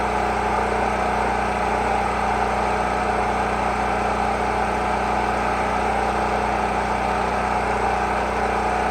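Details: Generator rated 3500 running watts, first run after storage, started on choke: steady, even engine drone with no surging, hunting or misfire; running smoothly, oil change still due.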